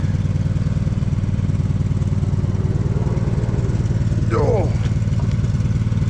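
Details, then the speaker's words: Poulan mud mower V-twin with the choke out, before servicing. It chugs unevenly with irregular beats and occasional pops: a misfire that is starting to pop, owner says it needs servicing. "Listen for the misfire. Right there. >> You hear that misfire? It's starting to pop a little bit. It just needs some servicing."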